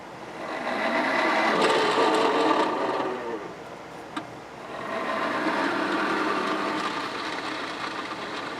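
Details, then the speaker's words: Hayward Navigator pool cleaner after not-turning fix, gears reassembled: even whirring gear drive with steady ticking and a short pause, no grinding or slipping; sounds much better than before and travels more, normal. "sounds so much better than it did before it's actually traveling a lot more"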